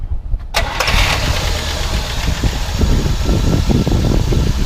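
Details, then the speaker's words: 1964 Buick Electra V8, not rebuilt. Starter whirs briefly, the engine catches at once and settles into a smooth, even, deep idle with no knocks or misses; runs and sounds good, normal start and idle. "But it does run good and sounds good."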